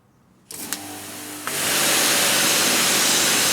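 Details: AVA Evolution P80 pressure washer on its first start after full service and new pump install; a click, then the motor spins up into a strong, steady spray hiss without surging or pulsing, normal running.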